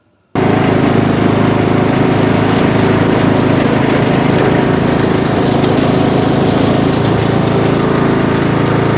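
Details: Bolens M762F lawn tractor, 10 horsepower engine, after no-compression engine rebuild, on a test drive burning off spilled oil: steady, even drone with a constant low beat and no knocks or misses; runs healthily under load.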